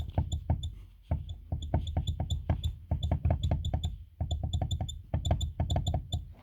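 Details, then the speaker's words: VAZ 2114 hatchback: rapid, uneven hollow clunks from the rear in bursts over bumps, caused by play in the tailgate hinge. "люфт имеется и этот это место в шарнире подступит на ходу и поэтому создаётся такое впечатление какого-то клокот сзади"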